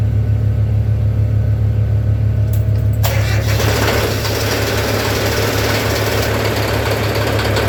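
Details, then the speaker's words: Old diesel tractor engine (Perkins, Case/Ingersoll) cold started in winter after 15–30 seconds of glow plug: catches after cranking and settles into a steady, even idle with a clean regular knock, smoothing as it warms; healthy cold start. "you all hear the tone difference in person once warms up the first stage gets a lot smoother and then the second stage really spools out and that's usually after about a minute or so"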